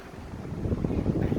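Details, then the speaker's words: Sharp PJ-SL181 18-inch floor fan after repair, on speed 1: steady airflow with no squeal or rubbing; the earlier squeal came from a blade not pushed fully onto its lock pin and a missing blade lock cap. "หมุนแล้วไม่มีเสียงแล้วเห็นมนะไม่มีเสียงแล้วไม่มีเสียงแล้วนะ"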